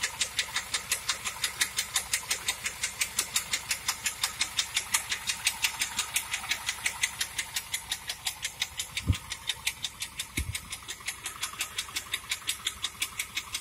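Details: 1997 Pontiac Trans Am, engine running: sharp, fast ticking, close to three a second, riding steadily over the engine; bad mechanical tick, source not pinned down.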